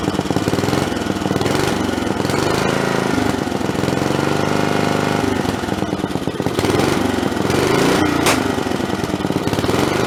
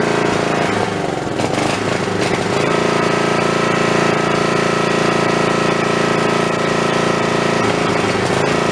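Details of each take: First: Snapper 3081 riding mower single-cylinder after spark plug swap, started with booster cables, starter cover off: loud steady chatter, even firing, no misses; runs normally, old starter noisy. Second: Snapper 3081 mower that died mid-mowing, running on the snowblower's spark plug: harsh, choppy single-cylinder clatter with misfires and backfires; owner suspects the coil/magneto unit is failing.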